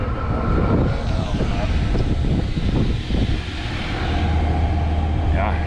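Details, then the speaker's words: Truck camper diesel heater, just reinstalled and unused for a while, glow plug just shut off, voltage around 11.5V: steady low rumbling whir with no knocks or surging, warm air rising to hot. Normal running. "so you can hear it now she's revving up we got hot air coming out of there well warm air right now"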